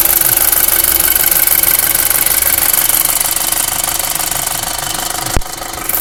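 Idling engine with a fast, sharp metallic ticking laid over a steady hum until shutdown; an abnormal knocking noise, source not pinned down.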